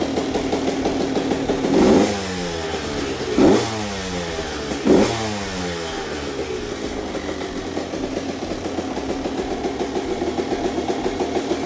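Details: Rebuilt CR125 two-stroke with Pro Circuit pipe, just cold-started: crisp idle with three clean throttle blips rising and falling smoothly, no rattle; normal idle and revving, healthy engine.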